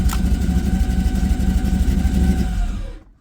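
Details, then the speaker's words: LS-swapped Chevrolet Monte Carlo: the engine keeps chugging unevenly for 2–3 seconds after the key is turned off, then dies, because the cooling fans backfeed the ignition. The relay fix was added but wired wrong, so the run-on remains. "so once the fan stops spinning that stops sending back feeding through the system so then your engine cuts off it's about a two 3 second delay right now"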